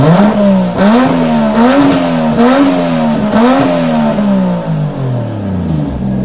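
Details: Cold start after sitting a couple weeks, turbocharged engine with a makeshift exhaust off the stock turbo elbow. Repeated quick blips give a raspy, chuffing note rising with revs, so the exhaust is leaking at the joints.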